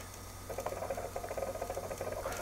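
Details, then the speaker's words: Original Xbox from a recycling centre, first power-up with drives reconnected: DVD drive makes fast, uneven light ticking and patter as it seeks repeatedly, struggling to read a badly scratched disc; apparently didn't load. "And it sounds like there's a disc in there. I don't know if it's struggling to load."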